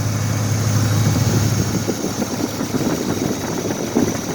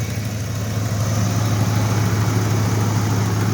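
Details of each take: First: 2004 Dodge Durango petrol engine idling right after start-up, steady low hum, no lifter noise or knock, only a barely audible exhaust-leak tick; normal idle. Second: 2004 Dodge Durango with 300,000 miles, warm idle just after startup; steady low rumble with a faint puffing tick from an exhaust leak, no lifter noise or knock, never misses a beat.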